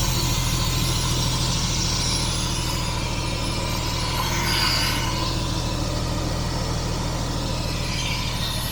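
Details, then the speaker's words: 1967 Jaguar Mark 2 3.4 automatic warming up in park: with the choke/enrichment device now off, it has settled to a steady, low, even idle with no stumbling or hunting. The engine is running nicely. "Down to a nice idle now after the enrichment device turned off."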